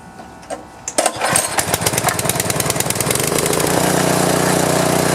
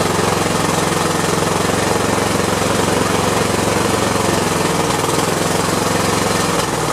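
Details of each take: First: Hard-starting power washer reassembled with governor spring and linkage, fuel of unknown age, choke and fuel on, air filter off: a few pulls and clattery catches, then it fires and runs steady and even; normal start and run. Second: Husqvarna small engine after a carb clean and new head gaskets, still smoking heavily and only starting with fuel pumped in. Runs with a rough, fast beat, then sputters and dies within seconds. Burning lots of oil; cause unknown.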